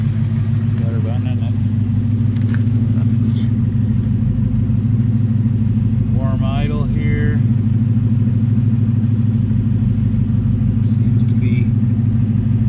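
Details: Ford Coyote V8, warmed up by a drive after the cam phaser fix for a timing chain chirp and rattle: a settled idle with a light tick about three times per second, which is normal injector noise, and no chain rattle. Normal warm idle.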